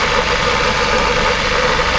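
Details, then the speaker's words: Toyota Commuter van at idle with its AC compressor engaged: rough clattery knock riding over the idle, louder with revs and gone when the compressor cuts out; the compressor is failing and the owner wants it replaced. "ได้ยินเลยครับน่าจะได้ยินกันอยู่นะครับเสียงความนะครับถ้ายิ่งเร่งเครื่องยิ่งดังนะครับเพราะว่าคอเริ่มอ่ามีปัญหาเริ่มมีการีกหลอนะครับ"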